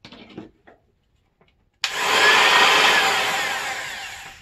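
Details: Old sheet sander reassembled after repair, motor repositioned, before the jammed bearing is found: quiet, then steady high-pitched motor buzz holding even and fading slightly; runs normally.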